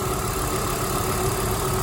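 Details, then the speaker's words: 1997 Volvo 850 petrol engine idling steady and even with a low rumble; the hydraulic lifter tapping it usually makes could not be reproduced, and no oil pressure light stays on. "sounds happy and healthy and I can't get it to make the tapping noise anymore"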